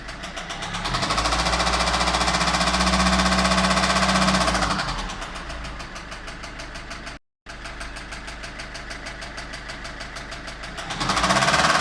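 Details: Citroën C5 1.6 HDi 110 hp diesel at idle: steady rapid knocking about four per second over the idle that persists as revs drop; engine knocking, source not identified.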